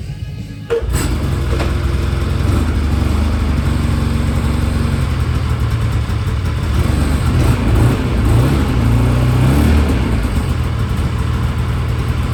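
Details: Polaris IQR600 race sled two-stroke on the stock exhaust can, not the Jaws can, run briefly because it leaks antifreeze: crisp buzz climbs and falls with each throttle blip, steady and clean, nothing out of place; healthy.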